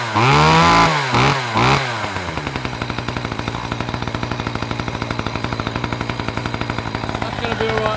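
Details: Two-stroke saw that had been pouring smoke: blips up and down a few times, then settles to a steady even idle with no stumbling; runs fine.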